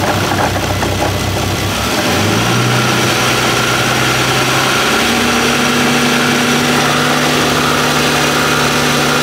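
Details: Bentley W12 engine at idle: metallic rattle about four knocks a second over the idle, settling a few seconds after start-up; owners first feared cylinder head or main bearing, oil-pressure dependent, but the cause is a worn alternator rear bearing.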